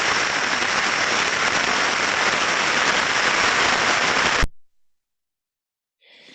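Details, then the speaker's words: Ultrasound probe on a bearing during grease application: steady hiss with no clicks; decibels fell as grease went in, then rose again with further greasing, indicating over-greasing. "Hemos ido aplicando grasa, hemos visto cómo bajaban los decibelios, y luego hemos seguido aplicando grasa y ha vuelto a subir, ¿vale?"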